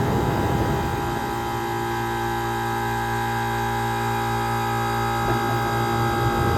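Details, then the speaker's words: 1978 Comfort-Aire Quietmaster heat pump, 2.5 hp reciprocating compressor, before cleaning: steady, even drone with constant low hum and no knocks or rattles; running smoothly and healthy. "this is a very powerful reciprocating compressor this is a 2 and 1/2 horsepower monster"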